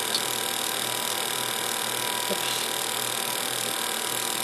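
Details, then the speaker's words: Dodge Viper being readied for TX2K14, engine off: boost control solenoid commanded to 55% duty cycle via handheld tuner, giving faint, fast, even ticking over a steady hum; normal solenoid clicking. "so i'm just going to put 55 in there so it's the same and now you can hear the solenoid clicking 55 duty cycle"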